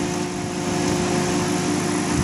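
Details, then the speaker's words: Unrectified microwave oven transformer in a thyratron control circuit, loaded by a series 500 W 240 V halogen lamp, with a thyratron rated 325 A pulse at 16 kV: constant low steady 50 Hz hum as it kicks on; normal transformer hum. "you can actually see it far if I'm kicking on making a 50 hertz home you can hear that"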